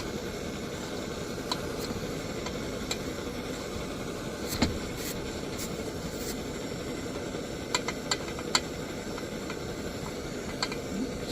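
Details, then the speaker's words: 1948 Major 236 lantern after repair: check valve stuck open by gunk from pump oil and cleaner was removed, cleaned and refitted; now a steady even hiss, holding pressure, burning bright. "she's burning good she's burning bright she's pushing that four three to four candle power"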